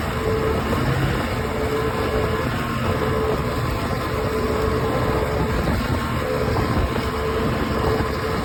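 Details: OX66 outboard at steady speed with a rough, gritty grind over the engine drone; spark plug change helped only briefly, compression excellent, prop not slipping, source not evident.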